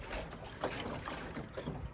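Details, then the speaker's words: BMW E60 door full of water, heard when braking while driving: sloshing, washing water with soft surges; water trapped in the door, entry unknown, perhaps via the window seal. Footwell is dry and the drains appear sealed. "Das schwappt bis hier. So hört sich das an."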